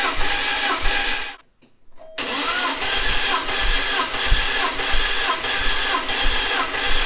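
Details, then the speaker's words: Porsche 944 after head gasket replacement, compression test cranking eight cycles per cylinder at wide-open throttle; steady, even cranking beats; consistent readings of 144, 141, 140 and 145 psi, healthy. "with the compression tester installed on each cylinder and cranking the engine eight times with the throttle wide open i'm getting consistent results across the board"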